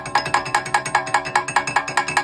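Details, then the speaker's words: 2013 Cadillac ATS AWD rear wheel, wheel off, rotated by hand: sharp metallic ticks about five a second as loose parking brake springs and clips slap the dust shield; heard at low speed as a heat-shield-like rattle. Fault: parking brake hardware. "this is the noise they were hearing I mean we'll put all together you couldn't hear it because the roller grows over it which the parking brake is behind the Rover so if you ever have this issue on the Cadillac or any other vehicle check check the parking brake first"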